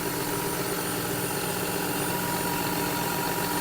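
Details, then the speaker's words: John Deere 6175R tractor after warranty repair, throttle-body spacer fitted and exhaust done, warming up before calibration: steady, even diesel idle, smooth mid-pitched drone, no knocks or rattles; engine running well. "чітко працює двигун добре бомба"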